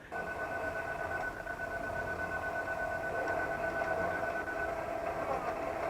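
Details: Hyundai Maxcruz reversing in a suspected sudden-acceleration incident, with reverse and brake lights alternating on and off: loud, steady growling roar with a held high tone, like the engine racing hard; cause unclear.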